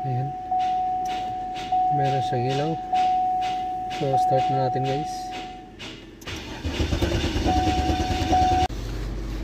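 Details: 2008 Cadillac DTS Northstar 32-valve V8, previously no-crank no-start after transmission replacement elsewhere: a few chimes, short crank, catches promptly and settles into an even idle; normal cranking and starting.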